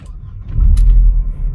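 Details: 2001 Mercedes SLK 170 after fixing P202C-8 no-crank no-start with a used ECU, DAS module and ignition lock, restart after clearing faults: brief crank catches at once and settles into a low even rumble without stumbling; normal start.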